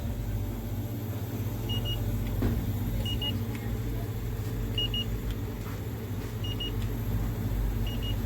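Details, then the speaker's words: Display-case refrigerator with a new R134a compressor replacing the burned-out motor, running during R134a charging, floor section cooling; steady even low hum with a double beep about every second; normal compressor running. "Polni sovyapti. Sovichlari zo'r, hamma zo'r ishlayapti."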